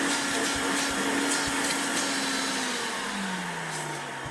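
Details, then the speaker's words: Hoover Turbo Power 2 Autosense vacuum, running without a bag: steady motor whine whose tone sags lower near the end as the stretched drive belt slips badly; autosense control still works. "But it won't pick up anything because it's broken. Well, it's got no. Well, it's got a belt, stretch belt on it."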